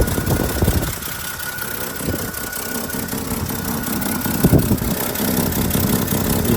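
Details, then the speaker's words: 1959 Chevrolet Suburban Carryall 3106 with 235 Thrift Master inline-six and 4-speed, about 20-something thousand miles by the early 90s; steady low, smooth, even idle, runs really good; slight exhaust leak mentioned, likely from the flapper. "runs really good."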